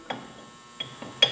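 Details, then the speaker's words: Ride-on tractor 216 drive, under-deck: sharp metallic clinks in short bursts as the wobbling variator is moved by hand; middle plate loose, worn variator to be removed and replaced. "that's the middle plate so the variator on this tractor is bad so we got to pull the variator off"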